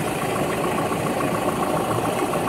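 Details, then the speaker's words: 2019 Toyota Hilux 2GD diesel after fixing noisy timing chain: steady even idle, smooth hum, no rattle or slap at the front of the engine; noise solved. "Yun. Ayos. Wala na talagang ingay."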